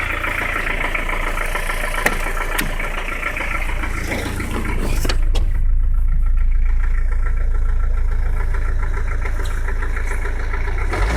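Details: 1985 Peugeot 505 XD3 turbo diesel idling with steady deep knock about four per second over clatter after hard driving; needs new engine — rod knock.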